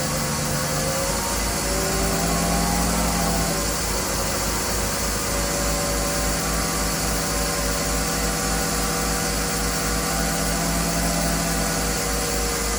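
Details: Classic Mercedes M104 engine first start after replacing valve cover gasket, timing cover gasket, oil level sensor, drain plug, and 7-quart oil change: catches and settles into smooth even idle, steady mid hum, no knocks; running right.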